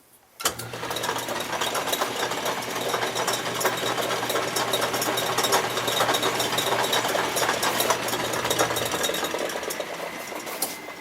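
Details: Atlas ten-inch lathe running without the retrofitted quick change gearbox: motor hum under a busy, even mechanical chatter from spindle and gears, holding steady throughout; running normally, quieter than with the noisy gearbox fitted.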